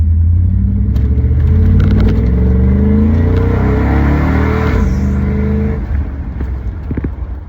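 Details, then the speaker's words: Owner's daily-driven Vortec V8 truck cruising, with shorty headers, stock cats and a MagnaFlow straight-through muffler: a deep throaty rumble rises with throttle then settles to a steady burble, a healthy exhaust; the rear end needs rebuilding. "As far as exhaust on this truck goes, it's literally just shorty headers, it's stock cats, and I've got a MagnaFlow straight through muffler. The best sounding setup I think I've ever heard for one of these trucks. It sounds incredible."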